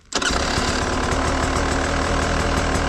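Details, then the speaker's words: Beta 300 two-stroke with Smart Carb SC2 after richening the clicker 10 clicks: fires up to a quick, crisp, even idle, much stronger than before but a bit high; strong idle, slightly high. "10 much stronger idle way better okay the idle's a bit High which I find super interesting"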